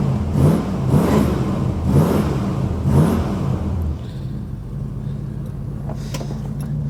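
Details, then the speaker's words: Cold-started V8 truck in a driveway: a few throttle blips, then a low, steady idle with no tapping or knocking; normal idle, and the engine is said to always run well. "This thing always runs good. Let it run here for a few minutes, and then we'll pull the keys out and jam them in the van with the 302 over there."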